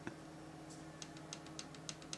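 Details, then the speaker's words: MacBook Pro trackpad after turning the T6 adjustment screw about an eighth of a turn counterclockwise: sharp, light clicks over faint room hum, clicking on the left but not the right; trackpad clicking on one side only. "so it's clicking on the left however doesn't appear to be clicking on the right so we're just going to try a tiny bit more"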